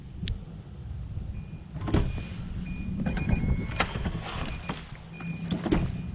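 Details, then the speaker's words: 2012 Nissan Armada power liftgate that won't power open or close, recorded with the trim removed. A thin electric motor hum runs in bursts with soft clicks but the gate doesn't move; actuator runs without driving the gate, cause unconfirmed. "I can hear the actuator running, and if I mess around with it the right way."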